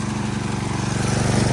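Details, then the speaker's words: DeWalt 3300 PSI gas pressure washer with Honda GCV200 engine, a few months old, just started with gentle pulls. Steady small-engine drone with a light fast rattle from the loose slide-on wheel washers and cotter pins; engine healthy, no leaks. "Again, a lot of the rattling that you hear is from when you put your wheels on. They just slide on with a washer and a cotter pin. So all that noise is the vibration of the washers"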